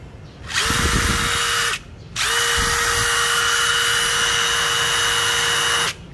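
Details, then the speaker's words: New DeWalt DCF887 impact driver (DCK299P2 kit) free-running unloaded at speed 2, then speed 3 (fastest, strongest): two bursts of high, even whine, about 1 s and 4 s long, with steady pitch and no hammering or grinding. A healthy free run. "số 2 đó sẽ mạnh hơn mọi nó nhanh hơn và số 3 lại nhanh nhất và mạnh"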